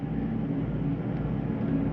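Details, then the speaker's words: 2022 Jayco Eagle HT 31MB travel trailer, second rooftop air conditioner started on a warm day: steady low roar with even fan rush, no rattles or surging; normal running. "let's go to the ac second it's rather warm in here today so i'm gonna get both the acs going"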